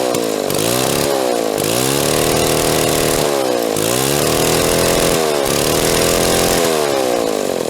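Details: Restored Mall 12A two-stroke chainsaw, carb tuning not 100%: running strong, revving up and dropping back about every second and a half, picking up cleanly each time.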